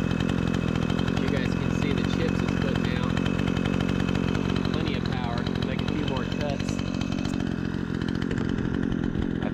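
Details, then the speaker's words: Repaired Remington 46cc two-stroke chainsaw cutting wood: holds a strong, steady snarl as it bites into the wood with no bogging or stumbling; plenty of power, normal running under cutting load. "it's got plenty of power I was just going into the wood a little bit a little bit funky"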